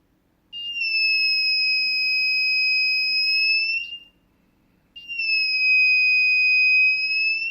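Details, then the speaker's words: Arduino Nano with MQ-5 propane sensor module, lighter moved slowly as if along hoses: shrill steady high tone holds about three seconds, pauses, returns; the speaker gets louder nearer the leak source. Gas detector alarm sounding. "a bonus with this way too is the speaker actually gets louder the closer you get to the source of the leak"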